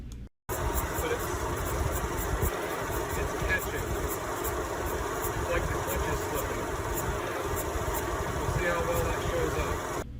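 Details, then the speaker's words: Acura RDX at idle with its AC compressor clutch, replaced two years earlier, failing again: a light, regular tick-tick through the engine sound; a slipping AC compressor clutch, to be fixed by replacing the whole compressor. "so indeed it was slipping the video didn't show up very well but you could certainly hear it making that tick tick sound"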